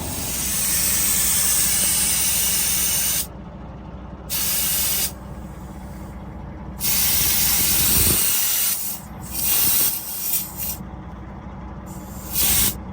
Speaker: But as you come back this way, you can definitely hear the air leak. Sounds like it's coming from in front of this axle.